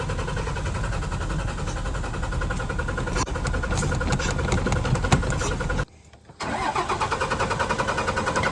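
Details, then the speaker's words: Dodge truck starter churns at about three to four beats a second, pauses, then cranks again, but the engine never catches; crank-no-start, cause unknown. "I don't think she's gonna start."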